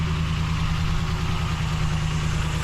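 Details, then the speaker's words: 2012 Ram 1500, running about 30 seconds: smooth, even low idle with a steady hum and no ticking or knocking; engine sounds healthy. "let me listen to the engine there's no knocking so that's a good sign"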